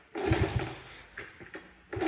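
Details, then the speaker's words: Honda CT70 minibike, about 4,600 original miles, survived a building fire and sat about 40 years, first start attempt: firm kicks with good compression thumps but it never fires; carburetor to be pulled for cleaning. "but it does not sound like it wants to fire."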